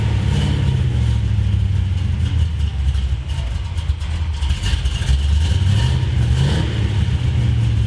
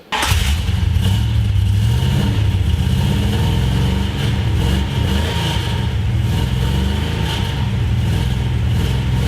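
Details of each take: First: 1973 Plymouth Road Runner big-block V8 with four-speed on a test drive under load: deep drone with uneven loping exhaust beat, feels like running on seven cylinders; a passenger-side cylinder keeps dropping out, possibly as on the last drive, cause not confirmed. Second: 1973 Plymouth Road Runner big block V8 after fixing header leak, header bolts and intake leak: even, deep exhaust beat through light revs with no ticking or puffing from a leak. Healthy exhaust.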